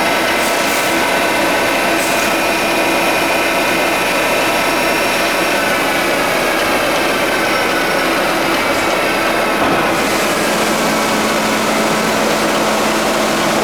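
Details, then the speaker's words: 52-inch King vertical boring mill (vertical turret lathe), internal grinding spindle on the left-hand head run under power: steady high-pitched whir at even pitch, no knocks or grinding; spindle healthy. "I'm gonna go ahead and run it for you. Let you hear the grinding spindle there."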